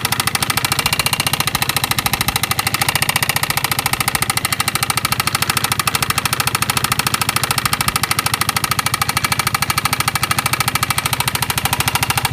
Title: Piaggio MP3 Vespa GTS 250 engine knocking